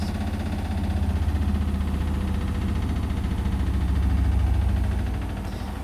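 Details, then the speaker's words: Indesit washing machine on the Daily Quick 60 programme, doing its final spin at a maximum of 1000 rpm with towels. It throbs with a deep pounding about four times a second during an extremely unbalanced spin, and clicking is possibly from the bearings. "but blimey out that was extremely unbalanced almost serious"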